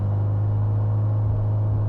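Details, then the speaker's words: Highly modified 700 hp 2004 Mitsubishi Lancer Evo VIII with an idle-surge complaint: engine hangs at a steady high hum near 3000 rpm instead of settling; high idle suspected from a bad idle air control valve and/or a vacuum leak. "Yeah, that could be a vacuum leak. Ooh, that's really weak. That needs adjusted. Idle surge, yeah. We got a couple of things going on. We've got vacuum leak, and potentially idle air control is freaking out trying to compensate."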